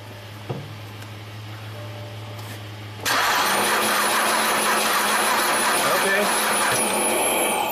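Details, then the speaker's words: 2009 BMW 328i crank no-start after dealer warranty valve cover gasket job, with number one spark plug out: starter spins the engine at an even pace with a steady whirr but no firing; no spark, plug not wet with fuel, no codes stored. "enough you shut it off so we have no spark and the spark plug was not wet with fuel when i got it out"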